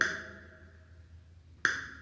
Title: ROLAND GO KEYS - SETTING FUNÇÕES Desligar o som dos botões touch off